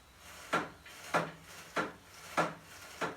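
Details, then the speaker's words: 1965 Yamaha YDS3, freshly installed and greased steering head bearings contaminated by sandblasting through tape with fork still fitted; dry gritty rasp each time the bars swing, engine off, needing strip-down and cleaning. "I had put new bearings in here and we greased it but apparently the sandblaster got through the tape that I put on here and so now"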